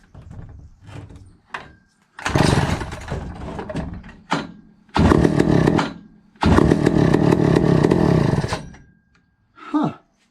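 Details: 1962 McCulloch 1-46 chainsaw, originally missing its carburetor: repeated pull-cord bursts with brief sputtering catches that never keep running. Owner suspects a cracked fuel line sucking air and notes a broken-off part; cause unconfirmed.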